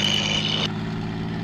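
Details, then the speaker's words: P-51 Mustang Merlin V12 ground run-up at 2300 rpm, about 29 in manifold pressure, engine hot: deep, steady drone with no misses or roughness, pulling smoothly and healthy. "we're going to 2300 RPM which is field man which is field barometric pressure about 29 in oh listen to that Merlin here we go that's beautiful there it"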